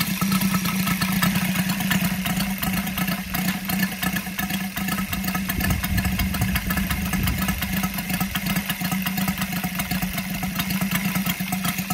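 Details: Brand-new Saito FG-73 five-cylinder radial, fully upgraded with MMM hardware, swinging a Biela 20x10 four-blade prop (600–5500 rpm). It starts easily and its exhaust gives a steady, even buzzing drone with no misses or knocks. Normal healthy running.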